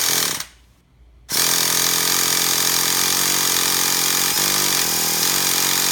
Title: Traxxas TMaxx 3.3 won't start. Help?